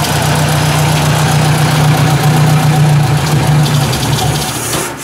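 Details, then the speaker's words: Ford 800 tractor after oil fill: low throbbing idle with an uneven beat that sags and chokes near the end, nearly dying; idle mixture screw being adjusted; stumbling idle, cause suspected, not confirmed. "maybe it sounds like it's backfire not backfiring but you know it's got a bit of a something going on there"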